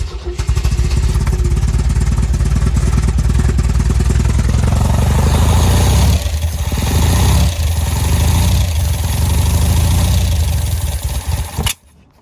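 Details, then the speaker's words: 1974 MGB, first start after a full engine rebuild, engine not yet hot. Ignition timing is only roughly set, so it runs lumpy and uneven with irregular firing and level dips. "obviously it's not running great because i just kind of ignition timed it enough to let it run"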